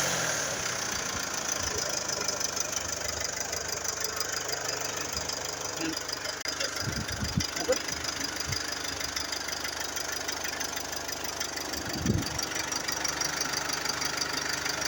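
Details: Mercedes GLE 250d 4MATIC diesel at idle: quick, loosely regular knock, roughly three a second, over a steady idle. Cause not identified.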